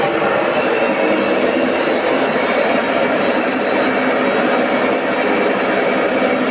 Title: AEG ÖKO LAVAMAT 4100 - 1000 rpm spin test JET ENGINE BAD BEARINGS